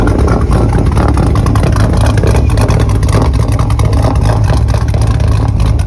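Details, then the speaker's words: 1976 Volvo 242 with a swapped Chevy small-block LS 5.3 liter aluminum V8: deep, strong, even exhaust burble with throttle blips, no knocks or misses. Normal V8 exhaust note. "Very unassuming, but listen to that exhaust."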